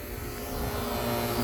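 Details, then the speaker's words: Fieldpiece vacuum pump pulling on a closed AC system, valve closed and back down to microns: steady, even drone with no surging, sounding different from when moisture or a fine leak is drawn in; normal on sealed system. "now I'm going to shut this it sounds sounds definitely different now we're going to close this guy up boom we're right back down to microns"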